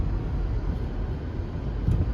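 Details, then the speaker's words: Mazda CX-5 backing up and braking after lubricating pads (pads and rotors in excellent condition), previously squealed only when reversing: low rolling rumble, no squeal or scrape; quiet brakes after the fix. "we don't hear anything that's good well there you have it I think we had a successful brick silencing"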